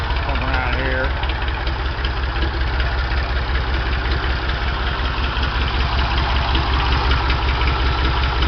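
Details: Ford 335 industrial tractor diesel, first start after in-frame rebuild with injectors just bled and no cooling system fitted, run briefly. A steady, even idle with a low regular beat, good oil pressure, no blow-by, clunks or knocks.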